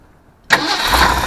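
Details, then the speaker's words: 1979 Ford F-350, Ford 400 V8, after swapping to Duraspark distributor and boiled-clean Holley carb: one quick starter bump, catches immediately, settles into steady idle without touching accelerator pump; healthy start, windy outside. "When a Ford is right, they crank that easy. They ain't like a Chevrolet."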